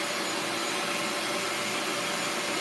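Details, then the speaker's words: Bissell Lift-Off carpet shampooer, suction motor: steady even high-pitched rushing whine, no surging, rattling or scraping; suction working normally. "All right, so the suction is working."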